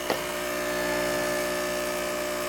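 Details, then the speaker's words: New Jehmco diaphragm air pump for a fishroom central air system, no airlines connected yet: after a switch-on click, a steady loud buzzing hum at one pitch; loud but even pump hum. "that's how loud that is that's how loud this one is that one seems to be the loudest"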